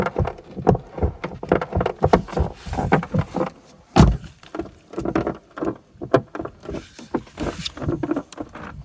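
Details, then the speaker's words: Peugeot 308 T9 door stoppers repaired with a kit about two years earlier, car sitting in sun around 25°: repeated dry creaks and groans about two a second as the door swings; dry, creaking door check strap. "in hot weather let's say when it's around 25° outside and the car's been sitting in the sun the doors start to Creak a little again it sounds like this"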